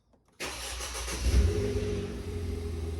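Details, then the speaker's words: Ford Fiesta ST180 after an in-tank fuel pump replacement, exhaust back box removed: a quick crank that catches first try and settles into a steady, even, loud idle. No engine warning light; starts fine. "started. No engine warning light. Let's find out what it sounds like. Seems good to me."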